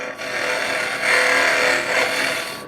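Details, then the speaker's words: Woodturning hollowing cut with the tool overextended: scraping with faint fluttering buzz, the tool vibrating and chattering. "And the thing is actually overextended a little bit. So, I need to be careful. And it takes my small You can hear the vibrations of it in there."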